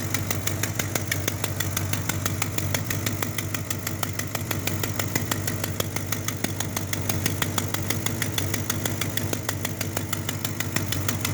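Engine idles steadily with a sharp, regular ticking puff about three times a second over the low rumble, typical of an exhaust leak.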